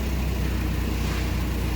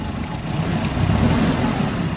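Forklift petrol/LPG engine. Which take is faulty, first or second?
second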